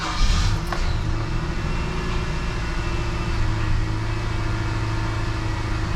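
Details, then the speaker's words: 2006 Nissan Frontier 2.5 after ignition coil replacement and clearing misfire codes: steady, even idle with smooth low rumble, no shake or misfire; before the repair it shook right after starting. "And I'm gonna make sure it's not shaking, it's not misfiring, it's not doing anything funny. And apparently it looks like everything's working fine."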